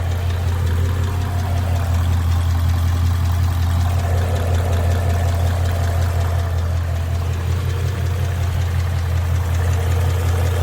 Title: 2011 Mustang GT 99k miles possible rod knock?